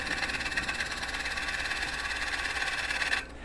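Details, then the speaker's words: Woodturning a twice-turned bowl, scraping cut with bowl gouge on the shoulder: noise from hitting high spots settles into a steady even hiss with no chatter; smooth, even flush cut. "when that sound gets a little more consistent and smooth that means that we're getting a real nice even flush cut all the way around"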